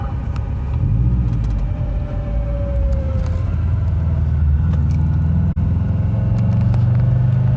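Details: 2009 Subaru WRX on the road: thin whine over heavy road rumble, rising in pitch and loudness with speed, in any gear and even coasting in neutral.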